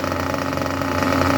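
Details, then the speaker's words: Junkyard Mutt nitro engine on a break-in stand after leaning the low-end needle a touch: steady buzzing idle with an even note and no stumbles or misses; normal, clean idle. "if that is not an absolutely lovely idle, I do not know what is. That is absolutely magnificent when it comes to idle."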